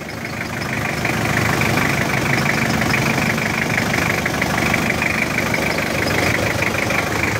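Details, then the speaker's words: Diesel engine idling with a busy, rattly clatter and a metallic chatter over the normal knock. The timing chain is suspected, possibly just the tensioner. The tensioner is to be reset first and may need replacing if it is still noisy and vibrating. "Kapag merong ganyang tunog mga bossing, syempre maraming factor yan. Pero isa sa pinakamadalas na reason is yung timing chain. Medyo maingay."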